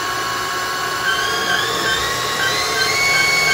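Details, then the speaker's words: Haas CNC mill spindle around 2000 rpm and speeding up, spindle fan unplugged, gearbox hydraulic pump running: steady, even whirring with thin high tones and no grinding; normal spindle running. "here at shift gear it's running pretty good let's go ahead and pick up the speed just a little"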